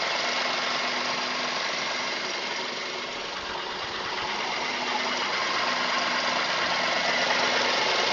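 Fast, even ticking knock at idle, roughly four per second, over a thin hissy background; the source isn't clear from the sound. Cause suspected, not confirmed.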